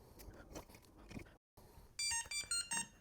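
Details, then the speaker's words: Wyze Lock Bolt v2 smart lock right after its batteries are installed: a quick run of four bright high beeps, confirming the lock powered up and works normally. "You'll hear a little beep letting you know it's working just fine."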